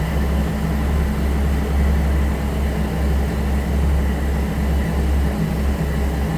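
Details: 1962 Ford Falcon 200ci six with a T5 swap and Holley Sniper, first start after 8 months; deep, steady, even idle rumble with no misses, knocks or hunting, running healthy. A rich 9.8 reading was noted.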